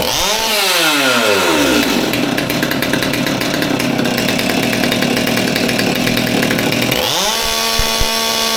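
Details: Old Stihl MS200T top-handle chainsaw that idled fine but had an issue when revved, after teardown and fuel line replacement (suspected cause): revs up cleanly, holds a steady high scream without bogging, drops back and picks up again; running healthy.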